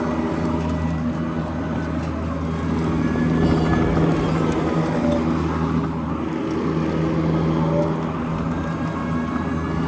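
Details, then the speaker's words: EGO Power+ T6 TR4204 fully electric 56V battery riding mower, 42-inch dual-blade deck, blades engaged at next-lower blade setting while driving: steady rushing whoosh like a high-powered vacuum cleaner, blade noise drowning out the drive motor; normal operation. "Yeah, I mean, for me, it just sounds like there's a vacuum cleaner on. You know, when the blades are engaged, it sounds like a high-powered vacuum cleaner, and you can't even hear the engine when the blades are going."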